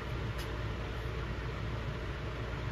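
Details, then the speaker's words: Airstream rooftop AC after cleaning dirty filters and grime under the cover and installing a condensate drain kit, test run: steady low, even hum of fan and compressor with no rattles or squeals; running normally and blowing cold. "here is it blowing cold"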